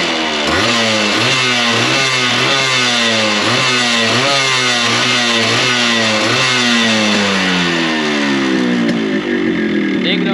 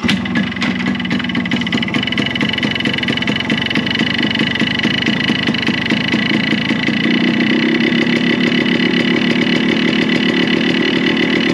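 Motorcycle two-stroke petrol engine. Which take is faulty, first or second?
second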